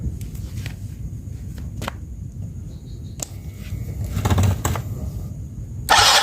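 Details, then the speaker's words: Yamaha Mio J scooter with sputtering and poor power, ECU replacement didn't cure it, now fitted with an NMAX injector giving finer spray: small single ticks over at soft even idle, revs cleanly on throttle blips without sputtering; normal. "suaranya normal ya suara mesin juga halus"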